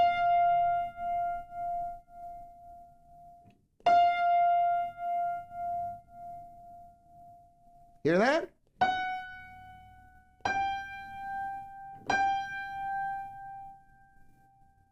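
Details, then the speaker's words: Piano unison strings slightly out of tune: held notes waver with a slow pulsing wave instead of ringing pure, like a little vibrato; none are far out. "It's not quite pure. There's a little bit of vibrato, a little bit of a wave. None of these are that out, by the way."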